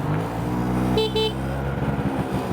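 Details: Genuine Stella two-stroke scooter after tune-up and carburetor rebuild, on its first ride after sitting: two short, clear horn toots at full steady pitch over the running engine; horn works.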